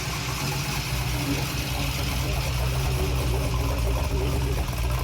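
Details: Junkyard-rebuilt LS (LM7) V8 on a test stand with Holley Terminator EFI, first startup with no coolant, an unresolved fuel leak and an oil-pressure concern. It settles into a steady, even low rumble with no knocks or ticks.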